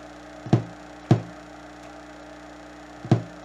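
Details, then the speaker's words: Yamaha HTR-5840 AV receiver with no subwoofer output, only hum: sharp isolated pops over faint hum as the ohmmeter auto-ranges, reading about 6,500–7,000 ohms to subwoofer ground; open subwoofer shielding ground from damaged circuit traces, possibly ground loop or lightning. "that's not right and you can actually hear it let me turn the volume up when I put the ohmmeter I hear you hear a pop as the flute changes auto-ranging scales"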